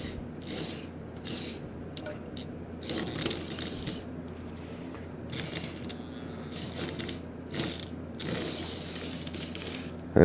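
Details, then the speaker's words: Long-unused Marx 999 toy train locomotive motor starting: uneven whir with dry rattling and ratcheting as it begins to buzz. Oxide on the brushes and armature is dragging it; silicone lubricant is sprayed in and it frees up. "these brushes and the armature are covered in oxide you hear it's beginning to buzz a bit of movement in the armature"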